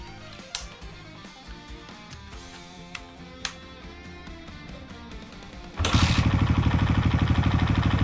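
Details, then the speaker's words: Suzuki Raider FI motorcycle idling after the exhaust stud bolts were replaced with stainless ones and the pipe refitted. After a few clicks comes an even, steady exhaust beat with no hiss or puffing at the pipe joint; no exhaust leak heard or felt. "So, upon hearing, wala naman akong naririnig na singaw. And wala akong nararamdamang singaw dito sa gilid mga par."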